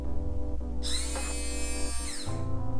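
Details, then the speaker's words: Honda Ruckus GY6-harness scooter starter motor removed and bench-tested by jumping it straight to the battery; high electric whir spins up, holds steady and winds down smoothly, so the starter is fine; normal starter motor spin. "So it's not the starter, so that's good."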